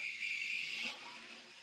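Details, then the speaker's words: A small model locomotive (the tug) runs with a thin, high hissing squeal for about a second, then it fades. It sounds dry, and the owner thinks the mechanism needs oil, though this is not confirmed. "the tug is running however it sounds like it needs a bit of um lubrication yeah that needs oil now maybe"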